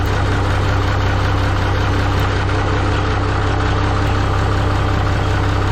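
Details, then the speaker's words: Minneapolis-Moline G950 propane tractor idling while warming up, after manifold gasket repair and a new-old-stock muffler; even low smooth chug, no ticking from the valve train that ticked the night before; exhaust sounds good, much quieter. "yep I'm pretty happy with that so mission accomplish tonight definitely much quieter okay and you know the exhaust sounds good"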